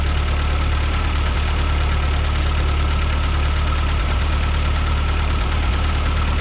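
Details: 1940 Ford 9N tractor after a rebuild correcting backwards rod caps, wrong timing and cam timing, and wiped bearings: a steady low chug with an even beat, no knocks or rattles; runs normally.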